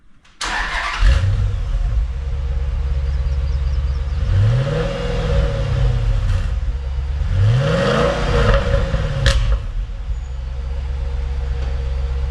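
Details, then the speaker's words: 2010 Dodge Challenger SRT8 5.7L V8 just after installing a Volant closed-box cold air intake: engine fires quickly into a deep steady idle with two clean rev blips rising and falling smoothly; slight backfire on first start, possibly richer air; running smooth, normal. "Yeah, sounds good. Seems to be running smooth, so time to get out on the road and give it a test run."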